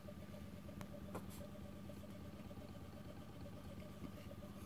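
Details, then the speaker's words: 220 V induction motor on open-loop drive with no feedback, powered from SLA batteries, pot turned up: rough hum and whine with faint stepping pulses instead of a smooth run; six-step commutation stepping. "and as I move the pot it steps faster and faster it runs very rough this is no feedback on it now if you can hear that"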